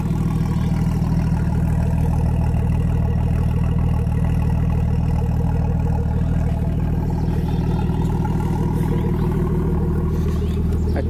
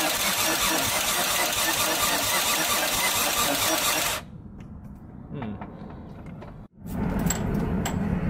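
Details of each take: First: Freshly rebuilt Nissan RB25 on first start with a new wiring harness, a possible boost leak noted; steady, even idle holding on its own with no stumbles, knocks or hunting; normal idle. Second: Freshly rebuilt Nissan RB25 first start, crank angle sensor unplugged to prime the engine: starter turns the engine over evenly about four seconds without firing; no-start also traced to a forgotten unattached wire, then ran great.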